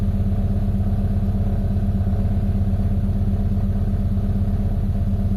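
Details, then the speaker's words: Mitsubishi Lancer with low power that won't exceed 3,000 rpm even at full throttle, cold start: steady, low rumble with a slow, lazy idle beat, while a cold-start idle should be high; idle too low. "So dapat cold start to mga bossing, mataas yung idle."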